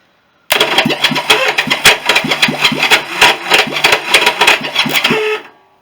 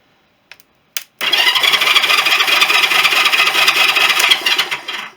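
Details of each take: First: Honda CB350 turned over for the first time after a rebuild, during a compression test (120–140 psi). Harsh, uneven screeching and chattering over the cranking starter, about three bursts a second: the starter clutch slips from weak springs. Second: Honda CB350 after engine rebuild, battery wired direct to starter motor: smooth even whirr for about four seconds, earlier screech gone; starter clutch fixed by replacing wrong roller springs.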